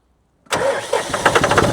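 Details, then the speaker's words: John Deere 5300 tractor diesel restarting after brief run, alternator found at fault (earlier no-start with clicking, new battery at 11.8 V); silence, then catches at once and settles into steady even running, a clean healthy start. "There you go. Now we know it was the alternator."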